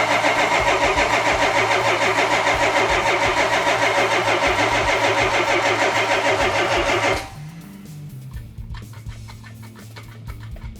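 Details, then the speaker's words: Yamahauler engine cranked to draw fuel up, owner first said mechanical fuel pump but it is actually running an electric one: steady, even cranking about 200 beats a minute for seven seconds, no firing; cranks without starting. "crank it over let's see if we can get some fuel up in here"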